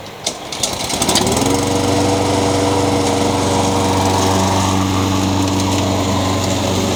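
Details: Honda GCV160 (owner thinks) on a Craftsman mower, after new carburetor replaced a surging one and an unbalanced blade was replaced: fires after a few pulls, settles to a steady, even hum with no bouncing or knock; runs smooth and balanced.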